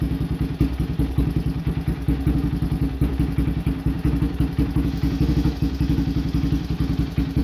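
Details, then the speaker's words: Raptor 700 single-cylinder ATV idling just after an NGK CR5 racing spark plug cable install; uneven thumping beat with slight clatter between strokes. Owner says it idles funny because of other recent work and it needs a new tune. "And I will say before I crank it up, if y'all hearing it idle kind of funny, it's because I got a little more work done that I need to update y'all on, and I need a new tune."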